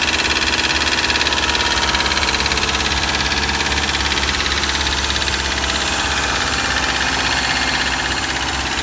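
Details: 2003 Subaru Forester EJ201 flat-four, 187,000 on the odometer, cold start after three days sitting at -3°C: a fast, uneven ticking knock about three a second over the idle. The cause is not yet found.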